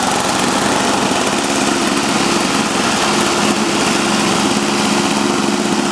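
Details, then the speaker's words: Toro CCR Powerlite two-stroke snowblower, about 120 psi compression, after fuel system rebuild, new spark plug, intake gasket and primer line, cold at about 28°F: steady, even high-speed buzz with no misses or surging. Normal running. "There we go. Working fine, working great. Good to go."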